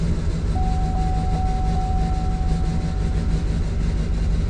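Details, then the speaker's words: 2007 Chevrolet Duramax diesel, towed in after white smoke and stalling, running after a plug reconnected: heavy drone with an uneven loping beat, one cylinder not firing (likely number seven or eight), no check engine light. "check engine light's not on even though it's not even hitting on one cylinder"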